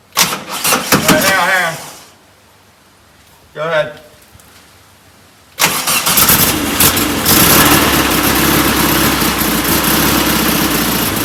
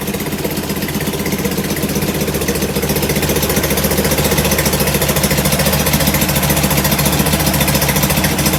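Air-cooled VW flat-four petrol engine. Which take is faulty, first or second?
second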